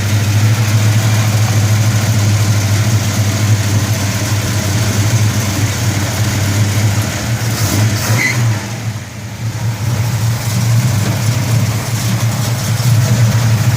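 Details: 1971 Dodge Super Bee, dual-quad 4-speed, just after cold start: deep, even big-block rumble with a brief dip and blip, no ticking or tapping from the top end, no upper engine noise; normal idle.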